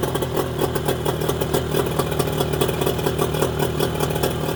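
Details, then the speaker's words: Mercury 25HP two-stroke outboard in neutral after the Boyesen power reeds are fitted: ticking over at a steady idle with even, unbroken firing pulses and no stumbles. Normal idle. "send me your reaction again running very good hey it works great now you're playing with the cam all right for the idol idol okay"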